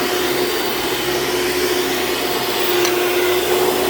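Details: Hoover Dimension Supreme upright vacuum running on a living-room floor: a steady roar with a thin, faint squeal rising near the end. The drive belt is wearing out and slipping; it squeals immediately on a rug.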